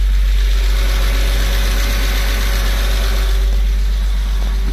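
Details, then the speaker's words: Porsche 986 Boxster flat-six first startup after IMS bearing and other parts replacement: smooth steady idle with low even hum, exhaust rattle and previously noisy AC compressor now silent; normal idle. "There's no more noise from the exhaust. There's no more noise, rattle noise from the exhaust."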